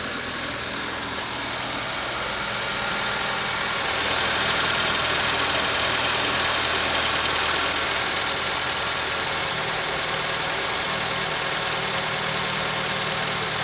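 Steady idle with a quick regular tapping, about four per second, over a hissy engine note; some knock, cause unknown.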